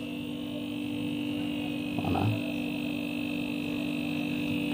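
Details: Refrigerator that was not cooling, compressor only clicking, after replacing the overload protector: steady even hum with faint higher whine, no clicks or knocks, current 1.0–1.1 A; normal compressor run.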